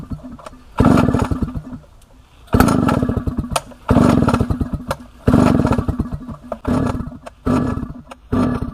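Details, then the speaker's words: A 1960s Solo 626 70cc two-stroke chainsaw, long unused and not yet serviced or carb-cleaned, fires up and revs cleanly in repeated throttle bursts, picking up crisply each time. It runs very well. "Right, as you would have just seen, this thing runs, and it runs very well at that."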